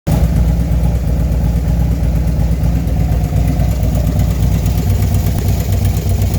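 Small single idling with a fast light clicking riding over the low thump; likely top-end noise after the bore kit, cause unconfirmed.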